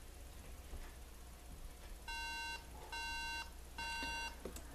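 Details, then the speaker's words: MacBook Pro that won't show video at power-on: three even half-second beeps about a second apart, repeating over a quiet room hum; a startup error suspected to be a RAM problem. "Lo prendemos. Y tenemos tres pitidos continuos."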